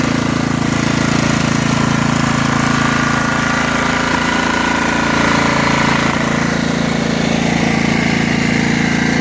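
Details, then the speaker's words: Snapper SR1433 rear-engine rider, sat 8 years, running after carburetor work and left to run until happy: steady, even single-cylinder idle with a smooth, regular beat and no knocks or misses; normal idle. "Got to be happy about that. It sounds good, runs good, nice and quiet, smooth."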